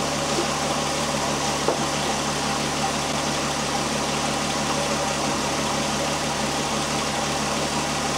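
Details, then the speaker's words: 2001 VW Jetta GLX power steering pump after bleeding, engine idling while the wheel is turned lock to lock: steady even idle with no whine or groan, fluid clear of bubbles, no leaks. Pump quiet and normal. "the pump right at this point is nice and quiet right now"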